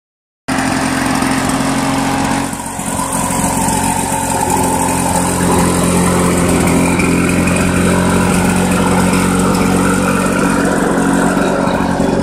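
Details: Restored 1991 Lawn Boy L21ZPN two-stroke mower after repaint and muffler replacement: starts and settles into a steady, even drone with no misses, knocks or rattles; running healthy.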